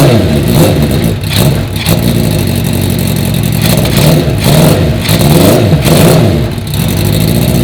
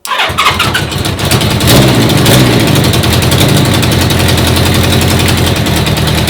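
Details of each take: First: 1980 Honda CB650 four-cylinder bobber. Revs cleanly and settles back without stumbling or popping. It runs way better, even with the choke off; the low idle was raised with the idle screw. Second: 1980 Honda CB650 four-cylinder carbureted bobber, first start after new carb fuel-line O-rings were fitted. Starter catches, then a rough, uneven, stumbling fast idle once the choke is off. It runs well on choke but lean off it; the carbs draw too much air and need modifying.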